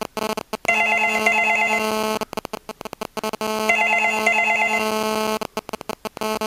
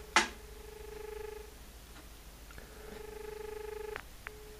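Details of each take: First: Australian landline double ring tone with a nearby digital mobile phone that placed the call: a harsh stuttering buzz chops between the paired ring chirps, caused by cell phone radio interference entering the audio circuit. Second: Australian landline dial tone with the handset held in front of the microphone: a click, then a steady mid-pitched hum that cuts off and returns briefly, normal; it times out after 15 seconds with a beep dropout signal.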